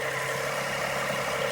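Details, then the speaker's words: 2005–2008 Toyota Sienna van test-fired right after spark plug replacement; even, steady idle hum with no misses, knocks or stumbles; engine running smoothly. "here it is you can hear the engine running hopefully so smooth everything looks nice"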